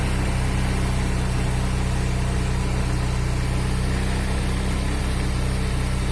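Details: Honda Vario 125 injection scooter, hard to start: steady idle with a rough, uneven low thrum about three times a second; worn piston with loose cylinder clearance causing rough engine and weak compression.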